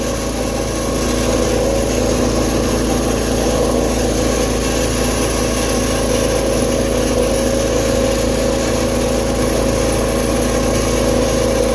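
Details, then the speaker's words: Tractor (model 210) after carburetor refit with fuel line, choke and throttle hooked up; small single-cylinder engine runs steady and even with no misses or knocks, normal running; owner hears something possibly rubbing. "Sounds great. The grill's gonna be next on that dang desk. Running great."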